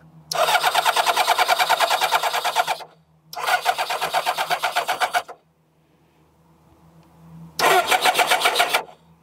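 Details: Kawasaki ZZR600 motorcycle with spark confirmed at the leads and a weakening battery: three bursts of quick even starter cranking, about three beats a second, never catching.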